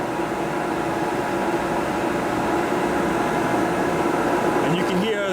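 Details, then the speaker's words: Oil-fired boiler burner about 52–53 seconds into pre-purge, holding at low fire switch before pilot ignition: even fan roar with faint steady tone, no surges or rattles; normal pre-purge. "right now it's got about it's about 50 two 3 seconds into the post into the uh pre Purge"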